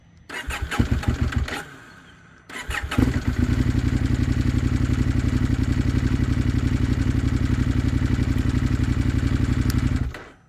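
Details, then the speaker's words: KTM 890 Adventure R Rally, cold start after about 45°F night: after three failed attempts that cough and die, it catches and chugs with a heavy, lumpy beat, running very rough as if on one cylinder; known unresolved platform issue. "so I just hit the starter button and just it's a you know it just dies out and you can hear it runs very rough like it's running on one cylinder"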